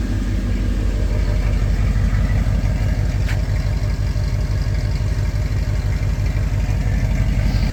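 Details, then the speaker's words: Mercedes E63 AMG V8 at idle after startup, winter, diagnosing bank 1 misfires and limp mode: ran a little rough for a second, then steady, even burble with no stumble or knock; normal idle. "Ran a little rough for a second there. Other than that, sounds normal, but that's nothing new either."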